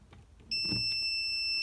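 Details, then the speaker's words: Continuity tester giving a steady high-pitched beep while a vintage Mopar semi-automatic transmission rotary governor switch, wired to a 6V solenoid, is closed, showing continuity. "And when this switch is closed, there's going to be continuity. It'll beep."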